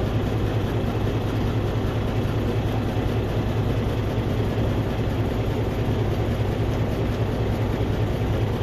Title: Cummins ISX ISX15 compression leak to the exhaust internal engine failure